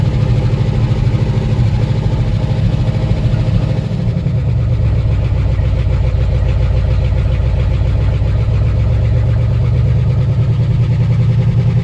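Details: One-ton truck sitting 20 years in a field, first start, sparking seen near clutch linkage: deep steady low rumble near two and a half beats per second, settling after a blip; normal running.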